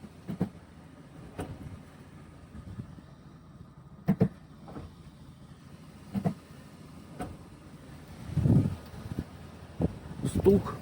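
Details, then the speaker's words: Toyota Prado 120 automatic: single sharp clunks as the gearbox is shifted between D and R; worn inner CV joint, clunks gone after replacing it. "всем здравствуйте сегодня будем лечить prado 120 стук при включении одышки или эрте вот слышно отчётливо"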